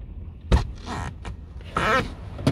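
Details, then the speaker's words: Sagging car door: latch clicks, then a squeaky rubbing creak when the door is opened from inside, as its seal rubber scrapes the rear door. "слышно вот какой прекрасный звук а все из-за того что вот эту уплотнительной резиночку чиркает о соседнюю дверь"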